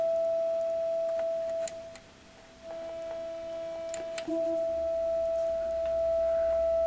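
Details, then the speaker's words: Blackstar HT5 amp with large signal-generator input (50–60 mV) into a speaker, controls full up; only a thin faint steady tone, very low output level fault, preamp or power amp not yet determined. "should have said on the intro what the fault was on this amp and the fault is very low level output so I've got a quite large signal going into it from my signal generator"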